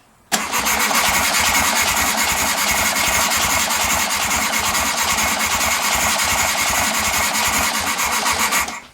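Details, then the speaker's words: 1969 VW Beetle being revived after fuel system, points, plugs and oil top-off; starter churns about eight seconds at a slow, unhurried pace without catching, battery not up to snuff and needs more charge; slow cranking. "my bad Ruiz not up to snuff let me charge that up a little bit more"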